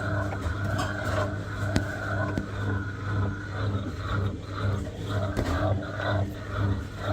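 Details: Washing machine on spin: low rumble swelling about twice a second with sharp irregular knocks on top. The machine is thumping, cause unclear.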